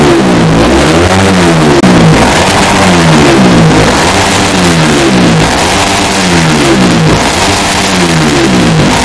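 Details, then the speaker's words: Motorcycle with BRT Super Bearing head just installed, after calibration and data input: repeated quick blips in neutral, revs climbing sharply and dropping back cleanly about every 1.5 seconds; fast rpm rise credited to the bearing-type head; normal free revving. "Untuk RPM-nya cukup cepat sekali naiknya karena pengaruh apa? Karena pengaruh dari head yang model bearing ini."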